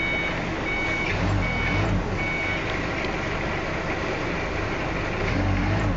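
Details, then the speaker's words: Toyota diesel forklift with a recently repaired transmission, after topping up the low radiator: diesel idles evenly under a repeating reverse alarm beep but the engine never loads; the forklift still won't reverse. "Ternyata, hal itu masih belum bisa dibalik."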